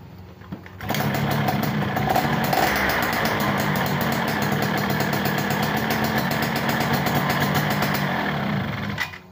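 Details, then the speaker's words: 2005 Yamaha F1ZR two-stroke being tested after applying grease to fix a rough noise from the starter gear at engine shutoff. It fires and runs steady and even for several seconds, then shuts off cleanly. Normal running. "Kita tes dulu masih bunyi atau beda ya mudah-mudahan udah aman"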